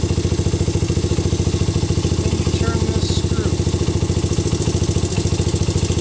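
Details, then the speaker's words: Honda CRF/XR 80/100 single, warmed up at idle: steady ticking with a light rattly slap under each beat, slack timing (cam) chain, before fine-tuning the adjuster with the engine running. "start my engine and warm it up a minute and you can hear some of the little bit of timing chain slap"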